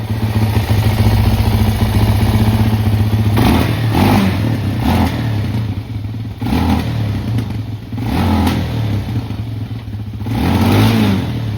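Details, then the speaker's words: Suzuki LTZ 400 ATV (believed 2004): it had run weird on throttle and thrown oil, suspected from an unplugged vent. After plugging the vent, it idles and then takes sharp throttle blips that rise and fall cleanly. Normal running; the carb still leaks and the float needs adjusting. "all right so we fixed that issue once I plugged in this vent right here and I still haven't plugged these up so they'll run a little bit better after that"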